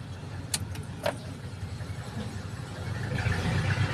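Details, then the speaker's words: Multicab 6-valve engine after alternator fan belt replacement, belt tensioned medium: low steady idle with no squeal or chirp; earlier noise gone, normal. "Ayan, yung pag-start niya, wala nang ingay. Di tulad kanina, maingay po."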